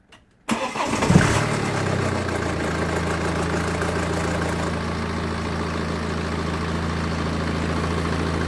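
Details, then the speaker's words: 2012 BMW F11, just serviced with oil and filter changed, start-up: engine settles into steady idle with light uneven clatter; timing chain definitely rattling, milder this time. "thing okay don't know how good it came on camera but the chain is definitely rattling it was not too bad this time to be fair with you but the chain is definitely rattling"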